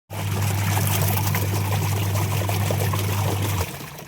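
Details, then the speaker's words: Very old washing machine after repair with new motor fitted and capacitor fine: steady low motor hum under water sloshing, winding down evenly; runs properly, normal running. "देख लिए proper okay हो गया है। चला दिए हैं नया motor water डाल के कैपेसिटर वो कैपेसिटर पूरा चीज ठीक है।"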